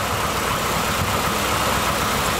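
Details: Dodge Challenger pace car V8 on EZ-EFI self-tuning injection, still learning, with idle air control and coolant temp read on the handheld. Steady, even idle with a smooth rumble, no knocks or misses: healthy.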